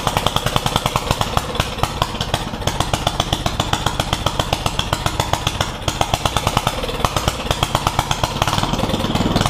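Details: Yerf Dog one-seater go-kart with a newly installed Predator 420 single-cylinder engine, being broken in: fast, even popping beat at steady speed throughout; sounds healthy and running normally.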